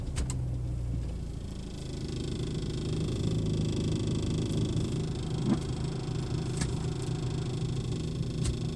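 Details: BMW 3 Series at idle, heard inside the car: low steady rumble with a buzzy rattle and occasional light irregular ticks; one garage could not find it, owner suspects the dashboard, unconfirmed.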